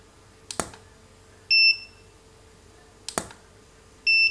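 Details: Godox SK400 II studio flash repaired after total failure, tested at full power after service: a sharp pop of the flash firing, then a clean steady high beep about a second later each time; it recycles and signals ready normally.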